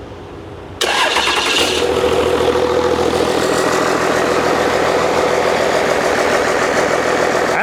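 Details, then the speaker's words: Old 12-valve Cummins diesel, stored almost a decade, first start after freeing a seized fuel solenoid: brief crank, catches at once, settles into even, steady clatter without stumble, not much blow-by; runs pretty nice. Normal diesel idle. "know runs pretty nice doesn't have real bad Bob by either"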